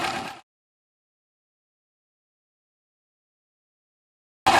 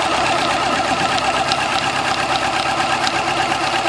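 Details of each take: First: 2000 Yamaha YZF-R6 at idle after replacing the cam chain tensioner to cure an idle tick: engine idles smoothly with an even, steady beat and no obvious tick. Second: 2000 Yamaha YZF-R6 at idle: fast light metallic ticking keeping pace with engine speed over four-cylinder idle; cam chain tensioner tick, fixed by replacing the cam chain tensioner.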